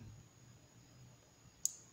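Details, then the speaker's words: Repaired relay from a VW Beetle (Vocho), bench-tested with 12 V fed to terminals 30 and 86 and ground applied to 85: one crisp click as the coil energizes, with a faint second tick. The relay pulls in normally. "escucha como entre el relevador y con la lámpara de pruebas vamos a checar que tengamos salida en la terminal 87 y en la terminal 86"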